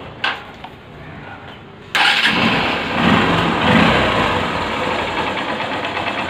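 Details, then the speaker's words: Motorcycle after refitting the carburetor and freeing a jammed choke, blamed for an accelerator over-rising problem: a few clicks, then it catches into an even, steady idle with no surging or racing. Normal idle. "இப்ப சோக்கு இதுவரைக்கும் போது ஃப்ரீயா இருக்கு எந்த பிரச்சனையும் கிடையாது இப்ப நம்ம வண்டியை ஸ்டார்ட் பண்ணுவோம்"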